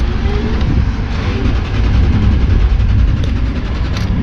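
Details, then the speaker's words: Car off the road two years, on a jump pack: steady, even cranking rumble with a regular low beat for several seconds but never catches; cranks without starting, no dash lights or radio. "nope no start cranks sounds good but there's no light in here no radio"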